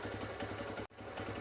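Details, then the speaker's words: TVS Star City Plus 110cc BS6 after repair of a loud engine rattle: both rocker arms, timing sprocket at the head, timing chain and tensioner replaced. Soft, even idle putter with no tapping or chain rattle, like new; normal idle. "अब sound जो है सो पहले की अपेक्षा बहुत ही सुंदर है अभी अभी जो देख रहे हैं इंजन स्टार्ट ही है साउंड इसका बहुत ही बढ़िया हो गया"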